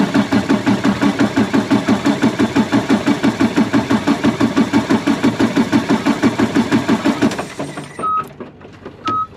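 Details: Freightliner Cascadia diesel, no crank: with power fed to the starter signal wire, it cranks steadily at about three beats a second for seven seconds, then stops with a few beeps. The fault was a failed CPC, fixed with a borrowed replacement.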